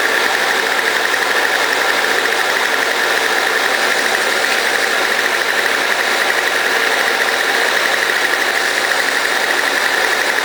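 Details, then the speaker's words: Toro CCR2000 snow blower after repair, previously smoking on very old gas with fuel backed up into the cylinder: steady, even engine note with no misses, knocks or surging while warming up; runs great. "so as you can hear it's running great um the one it was smoking smell like really really old gas"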